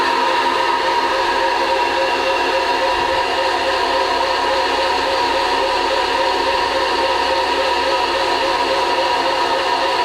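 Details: Combination milling machine, horizontal spindle driven by a three-phase motor with shredded belts: steady loud whirring drone with a harsh gritty ring over the motor hum at constant speed; noisy spindle.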